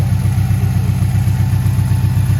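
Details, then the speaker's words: 2017 Subaru STI boxer, 400 whp build, after resealing the valve covers and retiming the cam gears, idlers and tensioner: deep, even burble at idle with a steady low thrum and no misses. Healthy running. "Drove this thing today. It sounds really good, so I think you're gonna like it."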